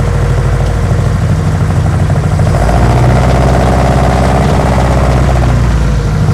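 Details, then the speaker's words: 1972 BMW 2002, semi-cold start, previous shop repair reportedly made it worse: wouldn't re-fire, then low, uneven, lumpy stumbling idle that shifts partway; rough running when cold, cause not yet known. "wouldn't re-fire [Music] oh yeah she's not happy [Music]"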